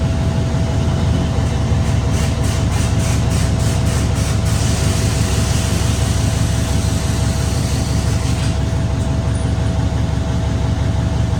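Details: Truck diesel after an in-frame overhaul and injector replacement with coding and fuel-leak test; a deep, steady idle with an even beat and no miss or knock, oil, fuel and air pressure and alternator all good.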